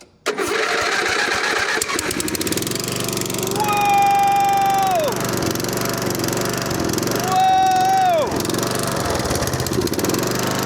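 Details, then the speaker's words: Abandoned 1980s Snapper riding mower, single-cylinder, revived with fresh battery, replaced battery cable, oil and gas: catches quickly and settles into a steady, even run with no knocks or misses; normal running. "Put a fresh battery in it. Oil, gas, and it fired right up, man."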